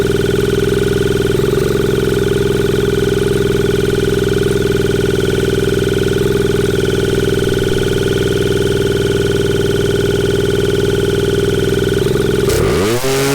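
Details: 1981 Suzuki TS250 two-stroke, long parked, B8S plug, choke being taken off: screams at a steady high sustained pitch, then winds down sharply near the end; runaway revving, cause unknown.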